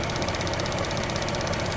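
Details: 2008 GMC Acadia 3.6L V6 with P0300, shaking, and cylinders 3 and 5 dead despite new plugs, swapped coils and injectors: rapid metallic ticking-rattle at idle right after clearing codes, attributed to timing chain stretch.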